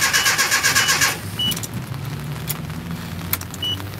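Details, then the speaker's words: 1987 Nissan D21 pickup after fitting a new fuel pump: about a second of quick even starter cranking at roughly four beats a second, then stops without catching; crank no start, no fuel pressure yet. "all right no no feel pressure yet no"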